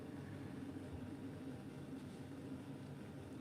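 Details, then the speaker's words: Bryant 311JAV two-burner gas furnace, about 15–16 years old, just after the inducer starts: burners ignite and run with a low, soft, steady hum and gentle roar, no surging or popping; normal ignition and burner operation. "There it goes. We have ignition. Sound of victory right there."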